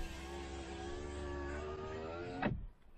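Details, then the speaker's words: Audi A6 3.0 TDI V6 quattro, over 300,000 km: driver-side power window up and down. Smooth, steady motor whine about two and a half seconds ending in a clean stop thump; no problem, window motor healthy. "hoch und runter kein problem"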